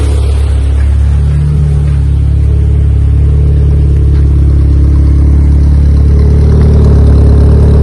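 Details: Honda EK Civic with a freshly built Vitara D16 turbo engine on its first start-up, radiator cap off; steady fast drone holding around 2000 rpm without throttle. Owner thinks it is an ECU setting and suspects the throttle body.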